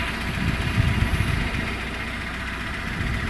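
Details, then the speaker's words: 2008 Renault Logan 1 warmed up at idle, about 5:40 after cold start: steady even low rumble, earlier ticking rustle now practically gone; owner unsure whether the cold-start noise is normal. "Звук пропал практически полностью."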